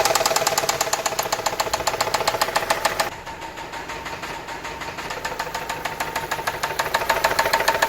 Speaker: Esto a altas o bajas revoluciones del motor es un golpe constante que se escucha así.